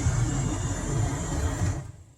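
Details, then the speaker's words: 2008 Honda Civic with a new replacement blower motor, fitted because the old one was intermittent, noisy and sometimes stopped until kicked. Smooth, steady whirring with no rattle, squeal or dropouts until switched off; the blower runs normally. "Yeah, before it sounded like, and sometimes it would stop and you'd have to give it a kick. Anyway, this sounds fantastic."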